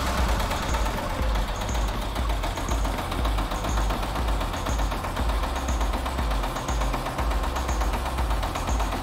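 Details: Rossel XT-152D/XT-184D small tractor diesel with belt drive, just started: steady low chug with even beat under loud music; runs smoothly and healthy.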